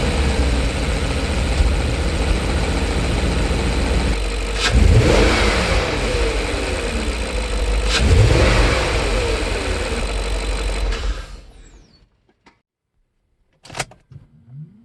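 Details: BMW E39 showing a cylinder 2 misfire code after bank 2 cam position sensor and MAF replacement, before the fix: engine starts and revs with an uneven stumbling beat under the exhaust note; cylinder 2 misfire later traced to its ignition coil.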